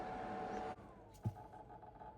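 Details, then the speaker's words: Small Lidl electric fan: steady whir cuts out dead partway through, leaving near silence; owner finds a loose connection. "Why is that cutting out? Sounds like there's a loose connection. Let's have a look. It's got a loose connection."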